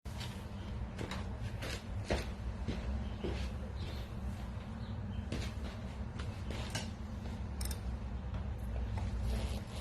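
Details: New Wahoo Kickr V5 smart trainer, a replacement for a Kickr Core that clanked: constant low rough grinding rumble with scattered light clicks; grinding inside the trainer's drive.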